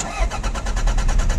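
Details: Mk2 Toyota MR2 cranked for the first time after sitting 14 years: a steady fast starter chug, about nine beats a second, with no firing catching. It turns over but won't start.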